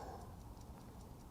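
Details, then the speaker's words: Vintage Howard Miller ship's bells clock after straightening a bent wheel: crisp, even ticks about five per second, strong and regular; previously weak, slowing and stopping. Movement running healthily. "yeah it's running I can see it and I hear it you know what I think I got it I really think I got it this time it sounds really strong"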